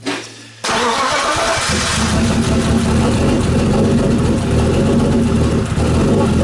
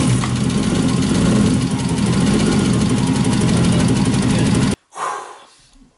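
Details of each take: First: BMW E36 with M52B28 engine, first start after a head gasket job: it cranks and catches, then settles into an uneven, lumpy idle with a wavering beat. Owner suspects the cam timing is slightly off. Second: BMW E36 with M52B28 engine after head gasket replacement and engine timing with a timing kit: engine catches and settles into a steady, even idle with a smooth beat for several seconds before cutting off; runs healthy, correctly timed.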